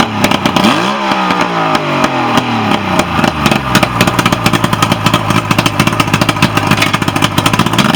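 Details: Mercury outboard on a Nitro boat, after a no-start issue was addressed: picks up speed cleanly, then steady even run with some clatter; normal running.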